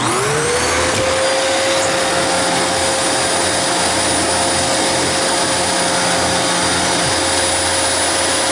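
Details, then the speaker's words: Dyson DC28 vacuum plugged in for a quick test after a service and cleaning: motor spins up quickly to a steady high whine with even airflow, no grinding or surging; sounds slightly rough but running normally. "It sounds kind of rough, but it's 28."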